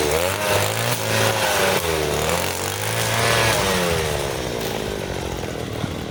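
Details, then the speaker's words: Side-mounted two-stroke brush cutter with nylon line: high buzz rises and dips smoothly biting thick grass, pulling cleanly without bogging; normal running under load. "Rumput setebal itu pun masih mudah guys ya, wet gitu ya."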